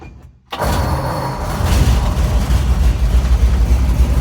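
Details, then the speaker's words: 1952 Ford F100 pickup before restoration, in neutral, started with choke pulled and pedal pumped: catches within half a second and, choke pushed in, settles into a steady even low rumble, no misses; smokes. Normal cold start. "Push the choke in, and she just purrs. I gotta shut it out because it's gonna smoke me out."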